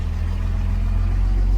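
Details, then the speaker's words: 1971 Mercedes-Benz 280SL on the road, warmed up after coil replacement and distributor tuning; low steady drone climbs smoothly with load, no popping or hesitation; best it has ever run, normal running. "This is the best this thing's ever ran."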